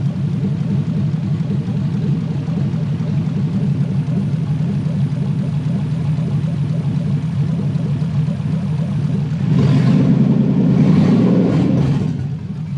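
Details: Toyota 1UZ-FE V8 for a Lamborghini kit car, Link Monsoon ECU, after idle was set too high and then adjusted: steady, even low rumble with no hunting or surging, then a brief louder swell near the end; idle now settled and correct.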